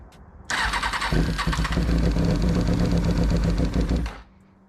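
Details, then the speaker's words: 2000 Kawasaki ZX6R during rebuild, cranking on starter fluid: fast steady starter churn for about three and a half seconds with a few weak firing attempts, never catches; owner says there seems to be no gas coming from the fuel pump. "okay that's with just starter fluid there seems to be no gas going from that filter not filter uh from the pump"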